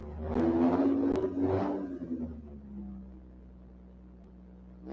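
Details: Toyota 1MZ-FE V6 in an MR6 race car, first start after final button-up, cold, in neutral: quick revs settle into a smooth, low, steady idle hum with no ticking or misfire; healthy fresh start.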